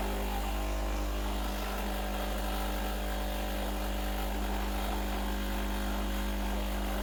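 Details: Breville Dual Boiler BES920 espresso machine, freshly serviced, running a single blank shot of hot water without coffee to warm up: steady, even pump hum with low buzz, no stumbling or rattles; normal pump operation.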